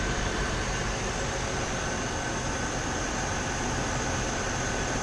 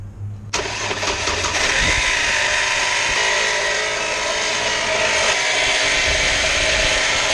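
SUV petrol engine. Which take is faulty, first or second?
second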